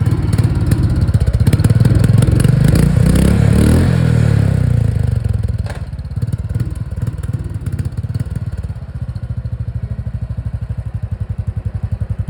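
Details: Royal Enfield Thunderbird single-cylinder thump: deep, even beats around three a second, settling as revs drop. A healthy, steady-running engine.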